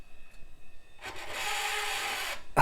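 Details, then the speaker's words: 1990s HP Vectra tower PC's CD drive: about a second and a half of loud harsh grinding rasp as the tray moves, then a clunk; tray mechanism rough and noisy, though the drive still spins up and works. "that was horrible that could have been the most horrible CD Trace sound I've ever heard even worse than those Tosha drives from the Dells"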